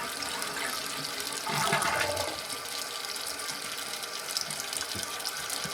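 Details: Toilet after fill valve (Fluidmaster) replacement and float adjustment: a steady, even hiss of water refilling the tank after the flush. The refill is normal, with no leaking noise.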